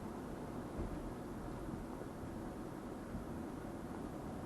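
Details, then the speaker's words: 2004 Mercury Sable wagon after new front brake pads, driving about 45 mph: steady road and tyre rumble with no chirp or squeal from the front brakes that chirped before. "i don't hear anything it seems to be quiet we're about to make a turn"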